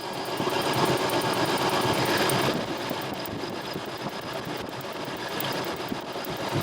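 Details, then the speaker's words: Engine with number one cylinder misfiring, after swapping a bad coil for a Motorcraft coil: sharp regular snapping, about three per second, over the running engine; the new coil fires a healthy spark and the bad coil was the cause. "oh do you see that there we got spark"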